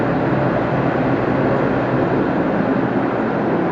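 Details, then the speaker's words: Walk-in cooler, cooled from 80 to about 50 degrees with both fans running: steady, even hum and airflow with no refrigerant hissing, evaporator full; normal running. "But it sounds good. This evap's filled to the top, going all the way through, so everything is as it should."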